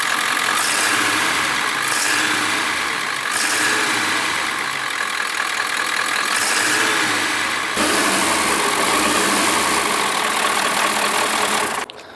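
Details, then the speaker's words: Ford E350 7.3 PowerStroke diesel idling after new in-tank fuel filters, following injector, sensor and up-pipe work: uneven, lumpy idle with hesitations, still breaking up though better. Slow fuel delivery suspected and a fuel leak was found under the engine. "right new filters are in the tank it's still breaking up a little bit it's definitely running better but it's breaking up a little bit"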